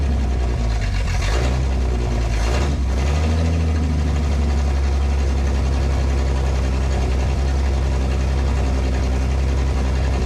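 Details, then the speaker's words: 1968 Ford Falcon, run briefly after clearing an exhaust blockage and mouse nests, radiator hose not yet fitted: deep steady rumble with a quick rev blip, then smooth even running; engine breathes freely, heats up slower without back pressure. "What a difference. Now she rips. And ironically, just because of it's not that back pressure has somewhere to go, it's not heating up near as fast either."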